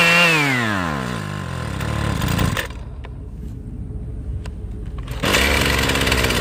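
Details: Husqvarna weed eater, off choke at full throttle: screaming two-stroke pitch sags quickly, falls to a rough, weak putter, then picks up; engine dies at full throttle, cause unknown.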